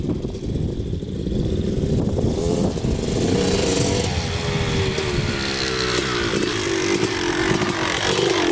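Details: 2000 Suzuki RM250 two-stroke on first test ride after pipe fix, carb clean, new oil, fresh gas: crisp buzz revving up and settling cleanly, no misfire or knock; running great in first gear.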